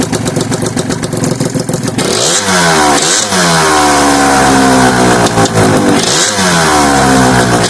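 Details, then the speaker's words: Gilera Runner two-stroke scooter with refurbished 23-year-old Scorpion expansion pipe, recorded on phone microphone: crisp blips rising sharply and falling cleanly back to idle, no misfire; healthy, strong-revving engine. "Yeah, sounds nice, doesn't it? I couldn't do a video without letting you hear it, could I?"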